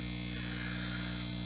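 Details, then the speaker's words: Homebuilt tube guitar amplifier, first power-up after a few minutes warming: constant low buzzing hum with stacked tones, unchanging; grounding hum suspected, planned fix of 100-ohm resistors from pilot light to chassis, not confirmed. "It's been going a couple minutes. I hear the hum, I know where it's coming from."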